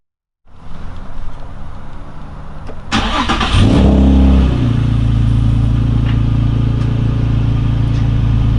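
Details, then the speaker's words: Nissan 350z VQ35DE after fixing codes P0011/P0021, caused by an incorrectly installed flywheel after an engine replacement; about 2.5 seconds of steady cranking, then a clean catch, brief flare and a smooth, stable idle with no stumbling. "you can see it started without any problem and remains very stable no longer It has no problem"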